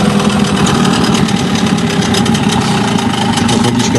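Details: Hangkai 9.9 outboard at idle after tuning (spark plug gap corrected from 0.6 to 0.9, idle not raised): steady even putter with busy mid-range buzz, no misfires; owner says it previously sneezed when throttle was dropped.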